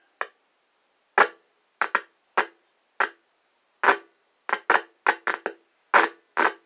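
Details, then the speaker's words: Heathkit IM-4180 FM deviation meter (1978–1987 kit) speaker: about a dozen sharp irregular pops in seven seconds as controls are turned; owner suspects dirty controls from long storage, not cleaned. "I didn't take it apart to spray any cleaner in it because it works it just seems to have that annoying pop popping noise"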